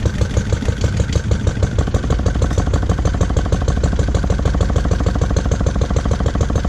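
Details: Lister D single-cylinder petrol engine, first start after 20+ years and restoration: thump around three per second, beats uneven and surging slightly, rough and jumpy; owner suspects timing and carb settings need adjustment.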